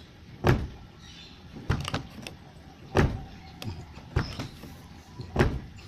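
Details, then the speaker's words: Aging car door, after applying grease into the latch/striker gaps because the old grease had dried out: five soft dull thumps, each closing cleanly without creak or rattle; door now shuts smoothly. "Guys Club seperti itu suaranya lumayanlah lebih halus lebih nyaman buat kita"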